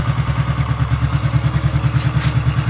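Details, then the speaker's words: Freshly rebuilt Honda Biz C100 engine with new exhaust, idling with the ignition cover not yet fitted: quick, even ticking about seven per second over the idle, the uncovered flywheel magnets making their normal noise. "que el volante hace un poquito ruido verdad se escucha el ruido de de los imanes"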